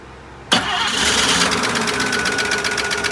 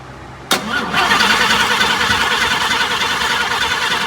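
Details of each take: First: 1954 Chevrolet, first run to fill transmission and burp cooling system, fed fuel to start: silence, then engine catches at once and settles into an even, quick idle with no misses; healthy start. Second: 1954 Chevrolet on a first run to fill the transmission and burp the cooling system: the starter whirs steadily, about three turns a second, but the engine doesn't catch. It cranks without starting, and fuel delivery is suspected.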